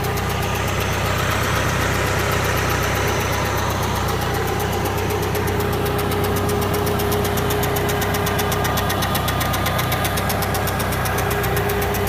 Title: K100rt, strange noise